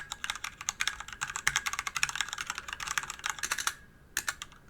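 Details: DIY DZ65RGB V2 hot-swap keyboard with Cherry red linear switches and an aluminium body over 1 kg: quick, soft, even keystrokes with a muted clack and little rattle. Stabilized keys still rattle and springs ping slightly. Normal typing sound.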